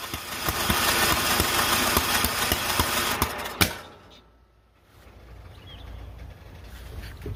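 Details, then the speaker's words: John Deere L108 lawn tractor after sitting about a year, restarting with fresh fuel, on high throttle: ragged sputtering catch with sharp pops, then dies; hard starting, sounds choked; owner suspects fuel not yet in system, throttle found sticking. "Got the thing on high throttle and it sounds like the thing is choked. Going have to let it run a while. Sounds kind of shitty."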